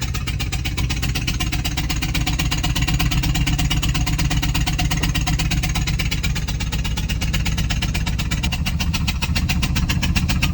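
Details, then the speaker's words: Ford 6.8 V10 whose spark plug blew out of a rear cylinder (believed number five), breaking the coil pack: loud rapid puffing on every firing over a rough idle as combustion gas escapes the plug hole. "you guys will get to have a listen to this thing makes all kinds of Racket puff puff puff puff"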